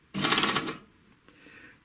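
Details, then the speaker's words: 3-thread overlocker sewing thick denim after cleaning and lubrication: a short burst of fast, harsh clattering as the knife hits dense material, stopping on thinner fabric; cause is play in the loose upper knife. "у меня нож только заехал на плотный материал сразу пошел звук слышите я съехал и уже все нормально стало смотрите слышите верхний нож болтается здесь появился люфт"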